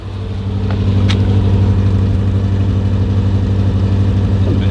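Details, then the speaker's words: Series 1 Rover P6 estate with SU carburettor, long unused, stale petrol cleaned out, choke out: smooth, even low burble at idle with steady beat, no misses or popping; exhaust sounds healthier, normal idle. "Healthier. This hasn't been used for ages, so we'll run it round for a bit."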